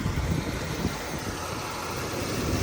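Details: 1978 Lincoln Mark V 460 V8 barn find back running after years sitting, vacuum advance replaced: low, even idle rumble with some wind across the mic and no misses or knocks. The V8 idles smoothly.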